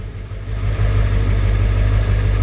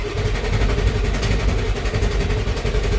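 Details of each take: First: 1994.5 Ford F-350 7.3 Powerstroke just started after installing 160/00 injectors and a new intake, in a shop: the deep diesel rumble settles into a steady idle, noticeably less clattery than before the injector swap. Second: 1994.5 Ford F-350 7.3 Powerstroke after installing 160/00 injectors and a new intake, cold Alaska winter: starter whirs with a steady chug near four beats a second without firing; air in the cylinder-head oil and fuel, oil rails not pre-filled.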